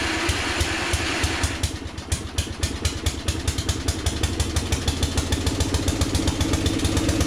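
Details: 1982 LongLife 36-inch lawn tractor, barn find sat for years, first start on jumper cables with fresh gas: catches and settles into quick steady beats about eight a second, slightly rough; carburetor flooding from stuck float needle.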